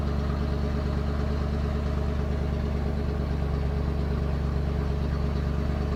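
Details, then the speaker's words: 1991 Ford F250, rebuilt 351 Windsor V8 converted from EFI to carb, freshly started and warming: low uneven loping idle about three pulses a second with slight clatter; rough idle, possible miss, idle screw to be adjusted. "All right, doesn't really want to idle. I'm going to I'm going to I'm going to kick her off and then adjust that idle screw."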